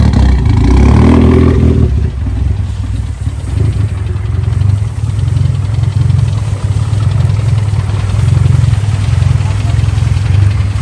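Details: Car with a fender-mounted intake, run after driving in heavy rain. Low rough idle with an uneven knocking pulse of about 220 per minute. Owner suspects a bent rod from the rain, and the oil pan is to be pulled to check.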